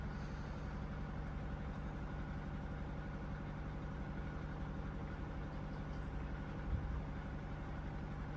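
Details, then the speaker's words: QFlow 2.5 kg mini washer spin cycle, steps through about 500, 400 or 300, then up to 700 rpm final spin: smooth, low, even hum with soft steady pulse, no knocking or scraping; normal long spin. "so does a little 500 does that little bit of sort of 400 or 300 and then zooms up to 700. and they're good long hunter spins as well so you know that they're getting a decent rinse"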